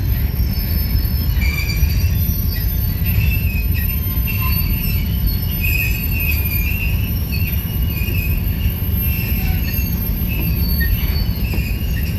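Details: Union Pacific 6644 freight train leaving Mesa Yard: continuous high metallic wheel squeal over heavy low rumble of rolling cars; squeaking and clanging made it stop, cause not stated, later fixed.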